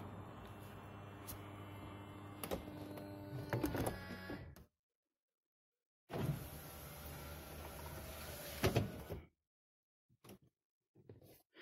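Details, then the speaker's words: Used BMW 1 Series E88 convertible closing its soft top: pump gives two long, low strained groaning hums with clicks, loudest as the rear section lifts at full pump effort; roof moves very slowly and does not complete properly. Groaning convertible roof pump, cause under investigation. "on va bien entendre à nouveau le bruit surtout quand l'arrière se relève qu'on demande vraiment à la pompe de donner toute sa puissance"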